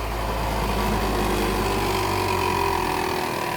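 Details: Old Mitsubishi Pajero engine idling with a light, loose knock in the timing area from a failed hydraulic belt tensioner; camshaft turns freely with non-critical wear, timing belt starting to delaminate.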